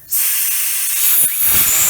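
Sudden loud steady hiss as the valve opens, trapped air rushing out of the line ahead of the water, nothing wrong.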